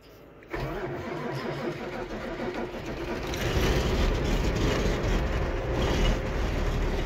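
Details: 1988 Kenworth with Caterpillar 3406B diesel, first start in a month, snowy weather, no preheat, loaded trailer: brief cranking, then catches into a rough, even clatter that firms up over several seconds; clean cold start.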